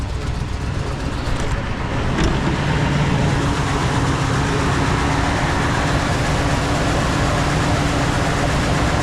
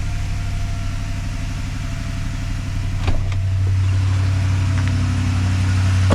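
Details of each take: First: 2015 Ford F-350 6.2 V8 that suddenly ran rough while not towing, no odd noise: uneven, lumpy idle with stumbling beat breaking rhythm; bad misfire, a dead cylinder from a broken valve spring. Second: 2015 Ford F-350 6.2 V8 after broken valve spring repair, owner unsure of one rocker shaft bolt torque sequence: steady, even low idle with no ticking or misses, a couple of stray clicks; healthy.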